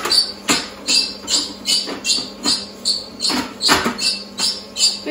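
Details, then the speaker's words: Cooking Chef food processor heating to 100 °C on stir speed 1: rhythmic high squeaks about 2.5 per second as the silicone stirrer rubs the cold stainless bowl; normal, stops once hot. "précision, ce bruit est normal, c'est le silicone contre l'inox. À froid, ça fait du bruit, c'est chimique, vous n'y pouvez rien. Et à chaud, le silicone se forme au bol et ça arrête de faire du bruit."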